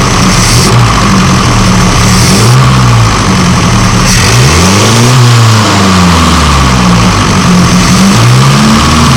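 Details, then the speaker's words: Classic car with SU carburettor, idling with throttle blips: soft intake hiss, revs swelling and dropping with clean pickup; normal carburettor intake hiss. "m going to do is start it up and what you'll see is that the it'll make a bit of a hissing noise"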